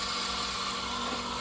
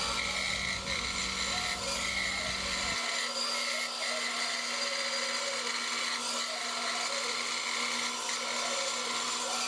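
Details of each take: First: Band saw cutting clear pine in a straight line with no pressure and no curves: a steady, even hiss and hum with a consistent tone, the normal sound, without the bearing whine heard on curves. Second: Band saw cutting a curve in clear pine: a lower-pitched whine from the guide bearings taking the blade twist, under the higher hiss of the teeth; screaming bearings would mean too much torque and a need for a thinner blade.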